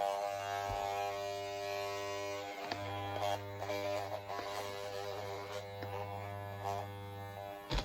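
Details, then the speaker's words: Worn hair clipper, blades lubricated with deodorant instead of oil, idling without cutting: loud, harsh, rattly mains-rate buzz with brief dropouts; the owner suspects how it was held. "But even if I go all the way down, like I just did a few seconds ago, it still makes really loud buzzing noise when I'm not cutting."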